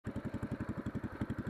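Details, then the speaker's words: Racing go-kart small engine idling with the lawn mower silencer, before the racing header is installed: sharp, fast chuffing puffs about eleven per second with a raw popping edge from an exhaust leak. "a bit of exhaust leak right now as you can hear so there it is"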